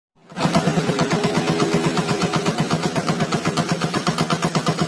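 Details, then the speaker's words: Yamaha Jupiter Z1 fuel-injected motorcycle idling: loud regular clatter, two to three knocks a second, from the clutch housing when loaded; in first gear the bike creeps forward by itself. Clutch housing knock suspected, not confirmed. "Ketika dikasih beban, maka di bagian bak kopling itu terdengar suara klotok-klotok."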